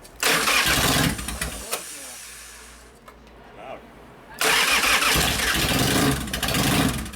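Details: 1999 80ci Evo Harley chopper, choke turned fully off: loud V-twin cranks and catches, runs about a second, drops away, then fires again and runs loud and choppy. The oil looks brown and needs changing.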